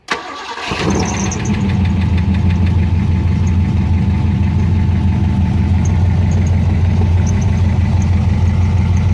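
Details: Ford Foxbody with 351W V8, first start in years: cranks, catches and settles into a steady even deep-rumbling idle with no ticking or knocking; runs healthy.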